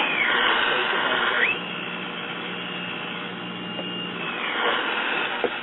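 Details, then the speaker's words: Packard Bell tube radio after repair, with loop antenna mounted to the chassis back: high whistle sweeps down then holds a steady squeal over hiss; suspected local oscillator RF being picked up by the loop antenna, causing oscillation. "what i believe is taking place is the local oscillator and the radio is emitting a an rf signal which they do all of them emit a small rf signal it's being picked up by the loop antenna and going round and round and round and round and that's what's causing it to oscillate"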